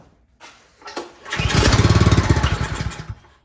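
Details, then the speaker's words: Troy-Bilt 28-inch snowblower, full choke, primed: catches and stutters under two seconds with uneven rough pulses, then dies; spark good, fuel starvation, carburetor cleaned afterwards. "Well, it's getting some gas. All right, so we have fuel issue."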